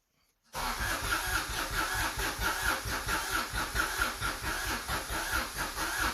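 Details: Subaru SVX after re-plugging vacuum lines, expected not to start: starter spins the engine evenly with regular compression pulses but never catches; crank no start, owner then suspects crank sensor, ultimately traced to the ECU.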